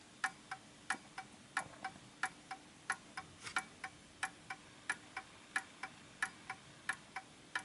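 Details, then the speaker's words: Art deco Enfield Westminster chime mantle clock with its pendulum off centre: crisp ticks come in unevenly spaced pairs and then stop. The clock is out of beat and needs nudging to find centre. "off center because i can tell by the way it's ticking slightly off and it will stop there we go see that just stopped"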